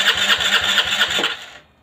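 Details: Aprilia Leonardo 125 scooter after a long time without starting: quick even cranking pulses with a thin whirring starter, no catch or firing, then stops; cranks but will not start.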